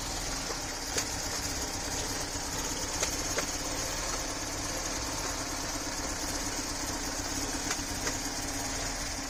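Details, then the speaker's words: Toyota Camry with 450,000 miles idling roughly and unevenly with irregular stumbles and misfire; one spark plug hole was completely full of oil, and after a new timing belt it ran fine again. "this Camry has a crazy 450 000 miles but unfortunately as you can hear has started running terribly"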